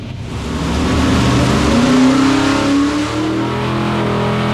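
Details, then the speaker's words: Old-school small-block V8 pulling hard under load: light metallic clatter riding on the exhaust roar, heard and felt, then it stops; valvetrain clatter. "now can you hear this clatter just clattering you could also hear it stop at the and I shake my head cuz I heard it and and felt it"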